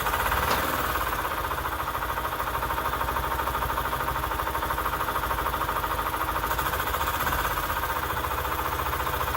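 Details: 1998 EZ-GO TXT gas golf cart, bought as non-running and repaired: small single-cylinder engine idling with a steady, even putter around 160 beats a minute; healthy, settled idle.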